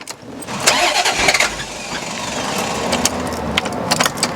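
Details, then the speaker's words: Barn-find Corvette C4 ZR1 after cam sensor testing, possibly original plugs with changed gaps; starter whirs, engine spins several seconds with clicks and rattles but never fires; suspected running rich and flooding, not confirmed. "I think it's running rich anyway so I think put it flooding it's trying to go try again it's even less happy"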